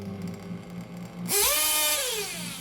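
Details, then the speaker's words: 1/8 RC nitro engine during carburetor tuning: a thin high whine climbs briefly, then sags instead of holding revs. The engine is not revving up and the idle drops, as the mixture is too rich; the low-speed needle is leaned next. "not really revving up idol is dropping"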